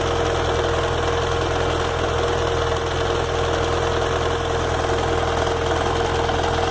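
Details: BMW F 800 GS bought at 2,600 km, hot idle on the side stand: faint irregular tick about three to four a second, stops when revved, intermittent; cause unknown, owner thinks normal.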